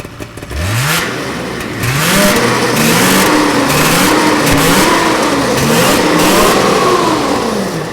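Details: 1979 Ski-Doo Everest 444 liquid-cooled two-stroke snowmobile, ride around the field after its first start in 3 years: revs climb and fall cleanly with each throttle blip, no misses or knocks; runs great.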